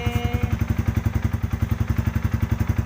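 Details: Yamaha Vixion, cold engine around 32 °C, just after the ECT sensor was replaced because the radiator fan ran constantly when cold: crisp, even single-cylinder thump about four beats a second, no fan whir; normal cold idle.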